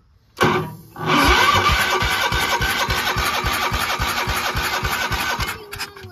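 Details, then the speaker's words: Gravely Promaster 50 tractor, sitting two years, carb cleaner sprayed in, choke cable frozen: steady starter chugging at about three and a half beats a second with no firing; owner suspects lost spark. "I feel like we just lost our spark for some reason. I don't know why."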